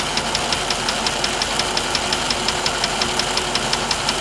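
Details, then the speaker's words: 1998 GMC Savana 5.7 V8 idling, screwdriver stethoscope on the block below the rear of the driver's side valve cover: sharp, even ticking about five or six per second, loudest at that spot; cause unknown. "i tried putting screwdriver over here on top here here and i can definitely hear a loudest audible click with my ear to the end of the screwdriver when i put it right there"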